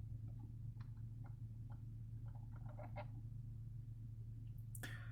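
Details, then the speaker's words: Acura TLX, just after the heat was turned on then off: irregular small clicks and creaky chirps from behind the dash over steady engine hum; suspected HVAC blend door actuator, not confirmed. "i just got in my lady's car that turned the heat on and i turned it off and i heard a sound like this"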